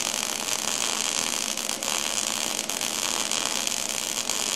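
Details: MIG wire-feed welding demonstration with shielding gas on, zigzag weave technique holding about 1/8 inch gap: steady even frying hiss without pops or sputter; stable arc and good wire feed, smooth weld.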